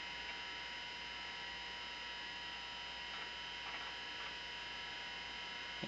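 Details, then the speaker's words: Macintosh 512k with 1985 GCC HyperDrive internal 10MB ST506-compatible hard drive, loading drawers at boot: steady high whine, faint hum and soft seek chatter coming from the hard drive, not a fan; normal hard drive running noise. "there's a fair bit of noise this noise you're hearing now is not coming from a fan this is coming from this hard drive here which is an st506 compatible int"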